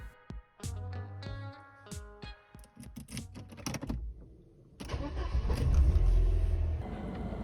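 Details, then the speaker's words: Engine cranks, catches and settles into a steady, even idle with no hunting or surging after cleaning the dirty idle control valve, the cause of the unstable idle speed; idle now normal. "Rölanti hızı artık normal aralıkta ve motor çok daha düzgün çalışıyor."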